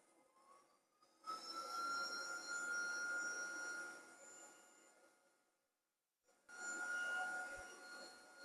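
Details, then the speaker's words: PICC Starfire electric plasma hob, plug-and-play and powered through a large separate converter unit, firing up: a hissing crackle with a steady high whistle that starts, fades out, then fires again; normal startup noise. "So these are basically just plug and play. Makes a strange noise when you fire it up."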